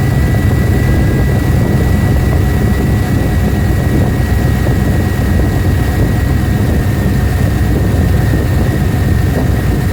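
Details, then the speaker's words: 1994 Suburban LS swap, bored intake and throttle body, cold just after a TPS sensor swap. Smooth, steady, fast idle around 1000 rpm with a thin constant whine and no hunting; might drop when warm. "Well, it's still idling a little high at about a th00and, but it might go down a little warm"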